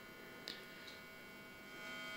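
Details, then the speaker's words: Rebuilt organ tube amplifier converted for hi-fi, working with no leakage: constant buzzing hum with a thin edgy top that gets worse at higher voltage, suspected filament hum, cause unconfirmed. "oh my god it hums a lot like i said it's most likely due to and it gets worse with higher voltage this sounds like filament more than anything"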